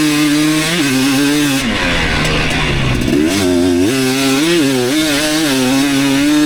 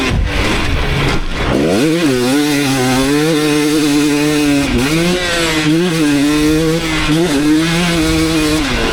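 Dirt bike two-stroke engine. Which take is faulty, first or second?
first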